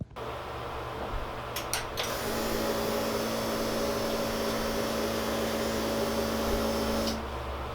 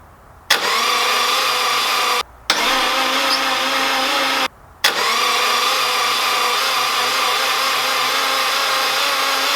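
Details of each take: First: Subaru EJ205 in Honda CRX swap, first startup on stockish setup; steady mid hum with faint uneven pulse about four a second, not a misfire, just not smooth; owner unsure if timing, fueling or base-map tuning; rough idle. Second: Subaru EJ205 swapped into a Honda CRX, cranked before first start with zero compression to build oil pressure: steady even starter whir without compression pulses, stopping and restarting; cranks normally, good oil pressure shown.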